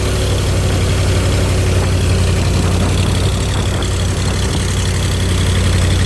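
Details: 302 V8 used as an air-compressor engine, stock cam, pistons, crank and rods, distributor turned far over for its firing order; after a tune-up with new plugs, plug wires, cap and rotor it idles with a deep, steady, even low beat, no misses or rattles.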